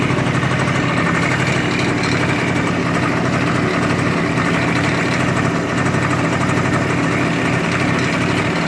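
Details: Yamaha scooter engine, rebuilt with new piston, crankshaft, bearings and seals, running after the variator cover was filed to fit properly: a steady, even buzzing idle with the earlier strange knock gone.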